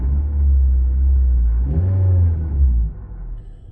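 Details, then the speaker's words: 2010 Nissan Cube, about 230,000 miles on the dash, transmission seems fine, no stutter; deep, low, uneven rumble under the engine note, swelling and fading briefly; owner suspects an exhaust rumble, to be checked. "hear, but there's a little rumble in the exhaust. I'll have to get it checked."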